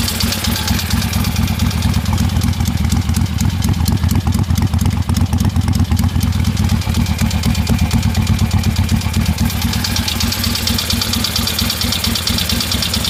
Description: My '73 ironhead Harley sportster is making a knocking noise on front cylinder. Think it needs a valve adjustment.